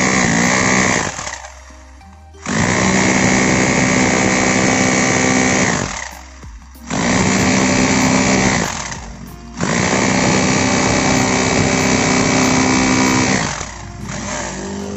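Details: Bosch GBH 2-26 DRE SDS rotary hammer, repaired for lacking impact power, in its test: strong, even hammering in bursts of a few seconds with short pauses. The impact sounds full and healthy.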